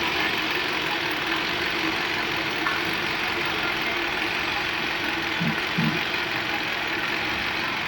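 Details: Hyundai Accent with check engine light, misfire and stalling while driving: the idle carries a busy, dry top-end clatter over an uneven note; oil starvation suspected but no oil warning light; spark plugs and oil to be changed.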